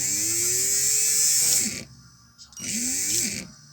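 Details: Hammer PLI12 cordless drill that cuts in and out and won't reverse; two short bursts of the bare motor with a harsh raspy high whine swooping up and down; owner suspects something in the motor, cause unconfirmed.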